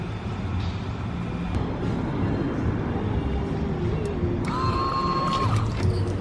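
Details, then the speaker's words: Nissan 240SX S14 with LS1 swap, original fuel pump tested before replacement, run nearly dry: steady high whine over engine rumble from its plastic gears; worn fuel pump with whining gears. "you could hear those gears just winding like there's still some fuel left they're just whining making noises"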